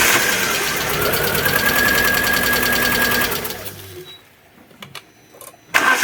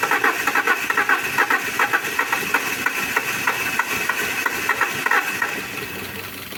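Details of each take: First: Alfa Romeo 147 Twin Spark, towed in misfiring with a very rough idle and hard starting, cranking: starter turns at roughly four beats a second with a lopsided, uneven rhythm, then goes quiet; low compression on one cylinder. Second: Alfa Romeo 147 Twin Spark that had misfires and a rough idle, after new valve seals and a timing belt. Fast, even ticking idle, then a short throttle blip rises smoothly and falls back; normal idle.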